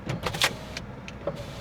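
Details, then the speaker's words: Lexus LS430: short clicks and uneven motor whirs as the power window moves in halting bursts; works but sluggish, owner suspects it is sticky from not being used in a while. "Do the windows work? Yep. Little sticky cuz they probably haven't been used in a while."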